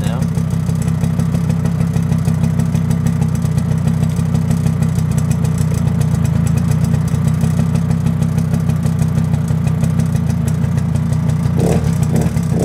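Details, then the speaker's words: Suzuki LT50 two-stroke quad, probably a 1998, first start after 5 years: even, smoky burble at a steady idle after tickover was turned down, warming up after a couple of minutes running, no misses or hunting. "very smoky but that's all right don't worry about that i'm not complaining about that that's a good thing takeover's come down nicely now"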